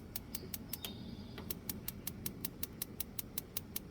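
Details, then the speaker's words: Propane BBQ grill burner after sparker replaced with new battery: sharp crisp ticks about two to three per second, then the burner lights; igniter working normally. "You can hear it clicking. And there it is lit."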